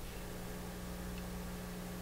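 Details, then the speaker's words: Pioneer SX-737 receiver on phono input after replacing leaky C1313/C1312 transistors on the equalizer phono board: steady low mains buzz with light hiss at very high volume, the normal residual hum, no longer the earlier loud noise. "hearing a normal buzzing sound right now because the volume is way too high but I'm going to bring this down"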